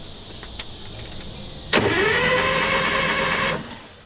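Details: DROTT excavator, sitting 15 years: a rising starter whir for about two seconds, then it stops without catching; it cranks but won't fire, possibly no fuel getting through or the stop/kill engaged, not confirmed.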